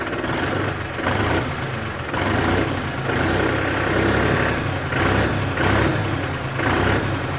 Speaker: बस डिफरेंस है तो इसके साइलेंसर में, जिसकी वजह से इसकी आवाज़ में थोड़ा सा डिफरेंस आपको नोटिस हो रहा होगा।